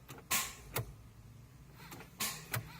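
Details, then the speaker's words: 2004 Grand Prix with cleaned terminals, battery charged for days and theft/charging system warnings: a few sharp single clicks on key turn with no cranking; caused by a bad battery cell, fixed by replacing the battery. "I do here click when I try to start it"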